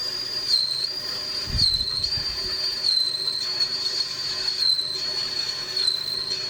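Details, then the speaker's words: Lathe facing aluminium for a Kawasaki GT550 gear knob, cheap carbide tip with cutting paste, three-speed lathe: steady high squeal near 4–5 kHz wavering as the tool bites near centre; slower speed suspected to help. Tool chatter near centre when facing. "I always find it bites a little bit as you get to the center. Don't know if there's much you can do about that. Just the nature of cutting aluminium."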